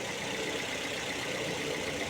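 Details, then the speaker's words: Engine at idle after running a few minutes, bonnet being closed: the first start was very loud, but now an even, quiet idle with a soft steady hiss and hum, no ticking, knocking or misses, barely audible from 1 metre away. "Sekarang sudah lumayan smooth, dan ini ketika saya tutup, saya agak menjauh 1 meter, kayak mesin belum nyala."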